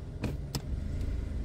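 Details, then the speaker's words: Kia Cerato 1.6 automatic, warmed up, after installing a new drive disc: steady idle with two soft clicks as reverse and drive are selected, no knock or clunk on engagement; the knock is gone. "переключать задняя ничего не слышно дэшка По сравнению с тем что было Ну стук ушёл"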